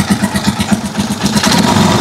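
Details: Rusi Chariot 175 trike single-cylinder engine idling after a brittle, leaking rubber hose was temporarily refitted: uneven but clean idle, the hissing leak noise gone; normal idle after fix.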